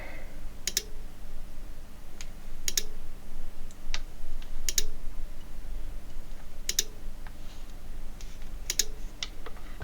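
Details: Cambridge Audio Minx Air 100 wireless speaker with no power and no lights: faint double ticks repeat about every two seconds with nothing else running as the switched-mode power supply keeps trying to start and cuts out; thermal camera shows nothing hot, no hard short, cause unconfirmed.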